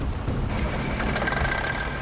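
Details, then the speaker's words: Semi truck frozen in after sitting in snow, first start attempt: rough diesel clatter with a thin steady whine creeping in, smoke and clutch smell; something froze up and binding, shut down fast. "semi appears to be drivable but something's not right smoking it's froze up when I see the smoke and hear the noise I know there's a problem and I gotta shut it down real fast"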